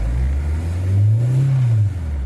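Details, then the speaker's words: Fiat Scudo 2.0 with Marelli IAW48P2.34 ECU, after immobilizer disabled to cure a no-start: engine picks up cleanly from idle, revs smoothly and drops back without stumble; normal revving. "και μαρσάρει άψογα."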